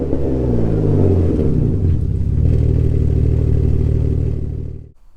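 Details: Alfa GTV 3.0 V6 first started in 18 months after refitting Wizard stainless downpipes and a Cybox stainless cat-back with no cat and largest silencer deleted. Slightly warmed. A clean rev rises, settles to a deep, even burble, then shuts off, no knocks or rattles: healthy.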